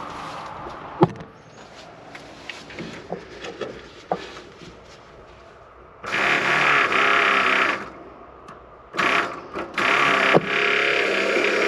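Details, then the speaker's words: '72 Chevy C50 big-block rollback that sat several years with bad gas, electric fuel pump switched on before first start attempt; steady buzzing hum in bursts, no leaks seen; fuel pump running normally. "pumping something up I don't see any leaks so far"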